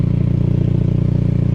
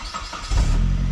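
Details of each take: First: 2002 Saab 9-3 convertible idling, exhaust from underneath: regular low puffing tick about three per second; after readjusting the clamp, small leak remains at the crack in the clamp but much better and less rattly. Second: 2002 Saab 9-3 convertible after readjusting the exhaust clamp, still leaking slightly through a crack in the clamp: brief crank, steady low idle, no rattle, faint leak hiss; much improved exhaust.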